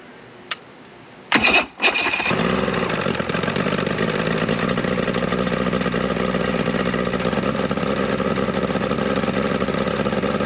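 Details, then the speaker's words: 70 hp two-stroke Mercury outboard on a 1967 Duo boat, first start on choke with old impeller left in place, running a little warm; catches after a few cranks, steady even buzz with no misses; normal running. "that actually sounds healthy"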